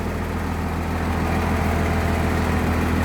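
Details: 1996 Blue Bird bus diesel, cold idle with seats removed: deep steady low throb, loose panels buzzing, shakes more until warm; 50 psi oil pressure, alternator coming up, half fuel; normal.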